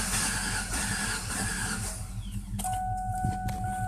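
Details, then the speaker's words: 1997 Ford Taurus after fuel pump replacement, spark confirmed, battery disconnected an hour to reset computer: rhythmic starter cranking at about two and a half beats per second that never fires; cranks but won't start. "have a 1997 Ford Taurus will crank no star change the fuel pump got spark"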